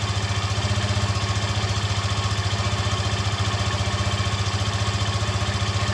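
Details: Yamaha FZ15, first cold start of the morning, motor fully cold, reported for a strange engine noise. Even, steady low thump about four beats a second at idle with no stray knocks or rattles: healthy normal idle.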